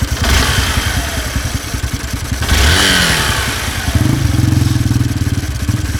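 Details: 2016 Honda Bros 160 single: after a worn piston was found following the 6,000 km service and replaced with original parts, a new, louder internal noise appeared. Idle shows a dry clattering tick on each firing pulse that persists through a blip; source unclear.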